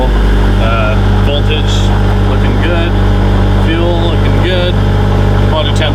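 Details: Honda VTEC engine swapped into a Mini with a Skunk2 intake manifold, first start while cold with 60 psi oil pressure: even, elevated idle holding steady with no knocks or misses; cold fast idle.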